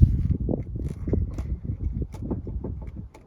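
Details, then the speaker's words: 2014 BMW F34 3 Series GT 320d, stationary: uneven dull knocks and clicks as the steering wheel is worked; worn steering column bushing suspected, to be replaced. "hear that that is the knocking noise of the steering columns there's a bushing that needs replaced which I'll do as well"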